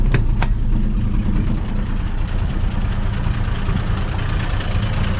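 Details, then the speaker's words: 1958 Chevy Apache running after 20 years sitting, no muffler, oil pressure about 40 psi at idle, slight electric tick noted. Loud, deep, throbbing idle holding steady with an open-exhaust bark; runs evenly. Normal idle without muffler. "let's a rev up some still got a little bit of electric tick but it should work out as far as I know"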